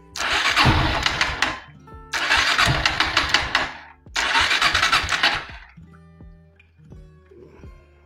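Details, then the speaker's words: Kawasaki W175 (TR) carbureted motorcycle: three long starter bursts spin freely and lightly but never catch; decompression plate on left side of engine stuck and won't move outward, valve held open, engine loses compression and won't start. "Emang dari awal saya janggal mendengarkan suara mesinnya kalau jeli Kakak bisa mendengarkan dari suaranya Apakah katup kompresinya terbuka atau tidak ketika mesin dinyalakan Kalau terbuka berarti ya mesinnya hilang kompresi"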